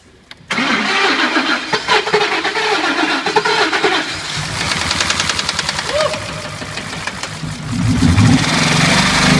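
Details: Ford F-150 5.0 Coyote V8 hydrolocked in a water crossing, bending a rod: starter whirs, engine catches, then runs rough with an uneven deep knock.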